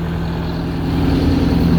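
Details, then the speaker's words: MCI MC8 bus diesel, started after sitting two years, without a charger: deep, even drone at a steady idle with no knocks or misses — normal idle. "we didn't need no stinking charger listen to that thing purr tell you there is a load of stress off my shoulders thing sounds amazing"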